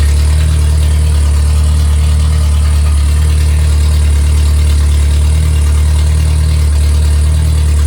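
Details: Freshly rebuilt MG Midget/Triumph Spitfire 1500 performance engine (shaved head, flat-top pistons, enlarged intake valves, 270 cam, balanced) running with a deep, smooth, steady drone, revved slightly; no tapping or rattles, healthy.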